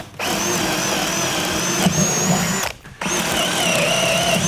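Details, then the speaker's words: Harbor Freight cordless drill with brushed motor (brush smell noted), on a not-full battery, boring a 31/64 in brad point bit into wood: whine sags in pitch and strains, then recovers; motor bogging under load and getting hot. "can hear it bogging down. Also, put your hand on that."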